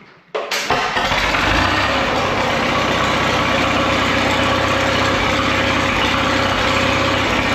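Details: Caterpillar Twenty Two crawler, roughly 250 cubic inches, running off a small auxiliary tank with a pipe extension and clamped muffler on the exhaust, at about half throttle and full then half choke: catches after a brief crank and settles into a steady, even run with a strong note, no knocks or misses.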